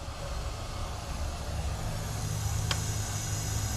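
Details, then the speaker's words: 2JZ engine in E46 M3, leakdown test after compression test passed and cylinders one and two checked okay: steady hiss of air leaking inside the engine; cylinder not sealing, engine must come out. "you can hear it leaking in the engine hell man sadness I guess we're pulling this out"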